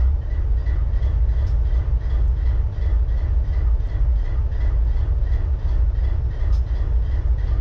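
A deep, loping idle with an uneven, lumpy beat about once or twice a second: one cylinder is dropping out, a misfire.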